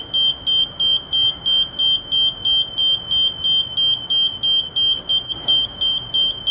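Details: Kone lift in a quiet car gives sharp, high, evenly spaced warning beeps about three a second because the door control buttons are held too long; door-held warning beep.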